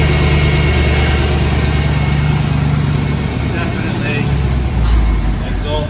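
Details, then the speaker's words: Mercedes C63 AMG W204 (M156 engine), sat unused for a month, engine management light on, no smoke: rough, uneven idle with a puffing chuff under the engine note; possibly the exhaust manifold blowing. "the definitely blowing yeah you can hear it got you again be mounted the exhaust manifold blowing or runs"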